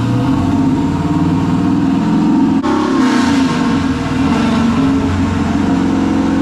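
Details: Junkyard 6.0 V8 (swapped in for a burned-up 5.3, bearings checked) on a dyno pull after a tune-in: loud even roar climbing under full load to the rev limiter, no knocks or rattles; running strong, no noises.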